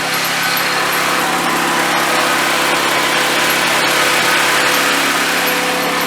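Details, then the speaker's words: Drift car turbo setup on test drive, wastegate V-band recently retightened, oil feed fitting suspected: loud harsh hissing roar with rough grinding edge over the running engine; turbo failed, destroyed. "That's a weird noise. Let's get it back to the garage. I really hope the turbo went bad. Done. Wow. Turbo's fucked."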